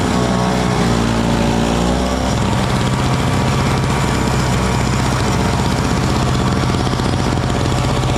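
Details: Small Frontier backyard snowblower clearing snow from a shop floor in cold weather: a steady, even drone under load that loads briefly, then settles with no misses or knocks. It is running healthy.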